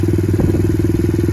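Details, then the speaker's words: Pit Pro pit bike, 90cc GPX semi-auto engine, new Amazon carburetor, freshly started: quick even single-cylinder thumping at steady rate, no misses or hunting; purring along, idle possibly a hair high; normal idle. "Amazon carburetor, started in a couple kicks. Sounds like it's purring along pretty good."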